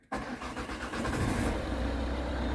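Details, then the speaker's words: 2008 Ford Kuga Mk1 AWD 2.0 TDCi (PSA DW10) with an engine-bay clatter. With the worn aux belt removed, it starts and settles into a smooth, steady idle with no clatter or knock. The fault is in the belt-driven ancillaries, and a new belt later cured the rattle. "no noise purring away beautiful so i guess we've got some problems with one of the ancillaries"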